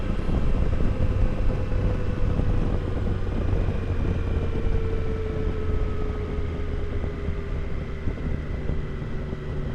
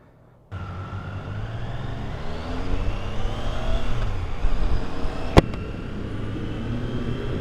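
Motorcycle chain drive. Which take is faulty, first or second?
first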